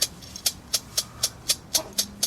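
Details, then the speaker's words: Speedometer from a 1968 Volkswagen Type 3 Fastback that seized and snapped its cable: sharp regular ticking about four times a second as the gauge is spun by hand, its lubrication dried out. "yeah that's that awful sound that's exactly what it was doing all the lube dried out"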